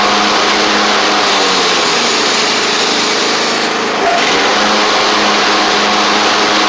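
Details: Craftsman riding mower after battery/starter check: small engine runs steady and even with a brief dip and recovery as it is driven off, no knocks or rattles, healthy.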